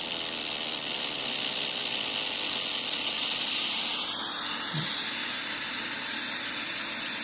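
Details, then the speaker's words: Second-hand Studio Projects VTB1 V series preamp after about 15–30 minutes of use: harsh high-pitched buzz over steady hiss, intermittent at first then becoming continuous; cause unknown. "I think it becomes quite constant after a while. So it does it every now and then, and then it begins doing it continuously."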